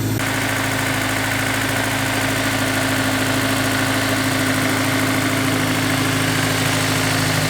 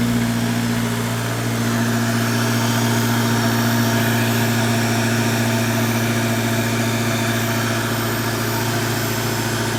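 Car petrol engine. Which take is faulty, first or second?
first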